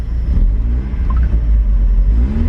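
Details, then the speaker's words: Cheap Mazda Eunos Roadster, about 50,000 miles, started after sitting 5 years, fuel pump relay issue fixed: deep smooth rumble rising and falling with throttle, no misses or knocks; revs cleanly, more responsive after running a while. "the RPMs are working now they weren't working before [Music] the cars a lot more responsive"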